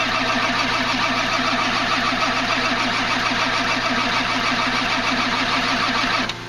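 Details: Ford Powerstroke diesel pickup being jump-started with a charger at 150 A: steady, fast starter cranking for about six seconds that won't start. The cause is suspected to be low power; it fired later.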